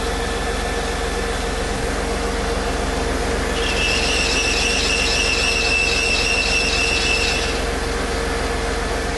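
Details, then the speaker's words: Serpentine belt at steady idle: high, piercing squeal rises for a few seconds then fades; spraying water anywhere along the belt quieted it, confirming a belt problem, most likely pulley misalignment. "Spraying pretty much anywhere along the belt quieted the noise down. But again, that does at least verify it is a belt problem"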